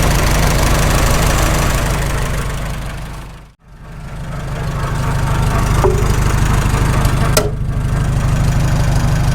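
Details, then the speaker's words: Farmall H tractor after sleeve repair: steady rhythmic gear whirr and rattle over low idle in neutral that drops out when the clutch is pressed; owner suspects constant-mesh gears in the transmission, not confirmed. "Got to be constant mesh. It goes away when you press the clutch and all those gears stop spinning. And it's back."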